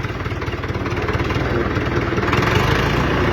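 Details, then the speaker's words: UTB tractor, engine rebuilt from zero, range reducer in low with fourth gear; rebuilt with new bearings, new PTO shaft, all seals and new planetary gears. Steady diesel chug, about four beats a second, slowly building, faint gear hum; reducer audible only slightly, healthy. "Deci cam așa se aude cu reductorul pe mic. Deci cam așa se aude. Se aude foarte puțin, oricum schimbă un pic mers."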